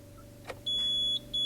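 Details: Wheego electric car after its 12-volt battery was replaced and the car rebooted: key turned to start, dash showing 63% pack charge; two clean half-second high beeps over quiet background, a normal start-up.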